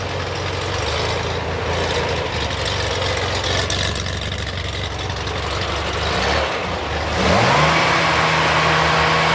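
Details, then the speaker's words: Pre-runner after installing a transmission cooler: steady even idle, then a clean rise in pitch on a rev, no knocks or misses; runs healthy. "head that sounds amazing it's crazy how good they run when they run right"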